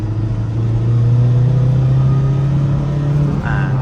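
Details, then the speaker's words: Tata diesel on a road test after repair (high-pressure pump, injectors cleaned, timing belt, new ECU, wiring fixed): a deep, even drone pulling under load with no knocking or hesitation, and good acceleration. "อัตราการเร่งดีนะครับ"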